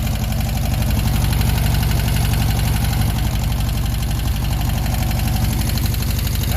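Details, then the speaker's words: VW Beetle, air-cooled flat-four, first start after a hot battery, with bad gas still being burned off: a healthy, even low putter at about four beats a second, no misses or stumbles; owner suspects a rebuilt engine. "runs pretty darn good this thing runs really good don't forget everything I said about this car I might keep it it runs great thing just purs"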